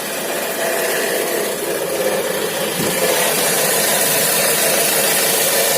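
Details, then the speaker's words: Opel Vivaro / Renault Trafic 1.9 diesel idling after belt refitted: dry, irregular crackle from the right side over the engine note, traced to a worn alternator rear bearing, not the injector or power steering. "заводим и слышим как с правой стороны обратно начинает трещать"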